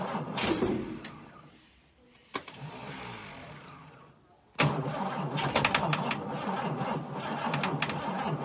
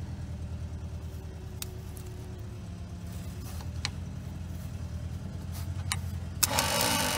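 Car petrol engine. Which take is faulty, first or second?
first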